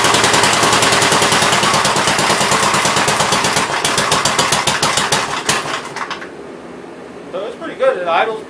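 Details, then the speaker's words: 1957 Gravely SR single-cylinder after a top-end rebuild, first run: sharp, regular popping at a steady pace with no knocking, then winds down; no longer smoking heavily as before, only burning off spilled oil; normal running. "and everything it's not smoking before it uh smoked like a train and it smoked me out of here in about two minutes so i'm happy and pleased with that"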